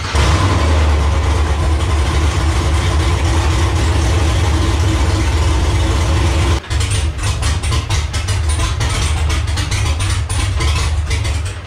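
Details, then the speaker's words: Camaro V6-to-V8 swap, start with clutch held down: deep lumpy idle hunting unevenly, blips give no throttle response; rough idle, owner suspects flooding from constant 60 psi fuel pressure. "it started which is good it idles which is good kind of it kind of idles it doesn't idle"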